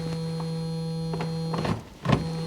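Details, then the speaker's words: 1975 Bricklin SV-1, low-mileage original-owner car, battery just reconnected: steady low electric buzz with a few switch clicks but no lifting travel; headlight motor hums without raising the headlights. "Why would the headlights just make noise?"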